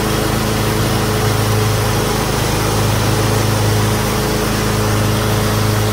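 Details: Normal running of a John Deere X320 riding mower with 48" deck engaged after replacing the M154958 deck belt: small engine steady and even, blades spinning, no slapping or squeal; deck drive healthy.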